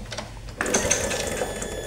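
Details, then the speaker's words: Revo FI fuel-injected motorcycle with lost spark and an injector not spraying. The pulser is reconnected and the engine cranked with ignition on, and a steady high fuel-pump hum switches on abruptly and holds. This is normal pump operation, driven by the pulser. "kedengaran ya jelas jadi cara mengetahui pulser masih hidup atau tidak ataupun yang menyebkan hilang pengepian kalau misalkan dari pulser yang mati maka pulpamp pun saat diengkol dengan keadaan kontak on maka tidak bunyi nging"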